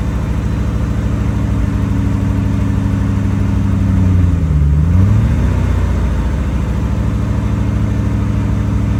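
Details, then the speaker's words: 1978 Porsche 928 (number 295) V8 idles low with an uneven pulse and a brief rev dip before recovering. It is running very rough after sitting unused, and the owner says it needs an "Italian tune-up" drive. "and so it's running very rough right now it basically needs what what we've referred to as a Italian tune-up where you just go out and drive the damn thing"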